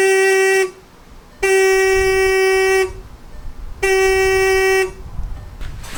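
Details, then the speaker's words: 2013 Jetta TDI original horn before replacement with Hella horns: three steady, thin, reedy single-tone honks, each about a second long, barely registering on the meter; only one of the two horns works. "that registered barely anything on on this it sounds like it's only one side that's actually working so that's why we're changing it to have both sides working with these two"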